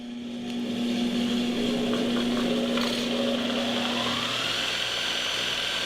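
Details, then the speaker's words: Multitool 4x48 belt grinder, 1 HP 120V motor: hums on one low note for about four seconds before pulling up to speed, shaking; slow start from a cheap solid-state start switch instead of a real capacitor. "the motor has a cheesy start up it's it's it's got one of the little solid-state switching units in it instead of a real cap so when you turn it on"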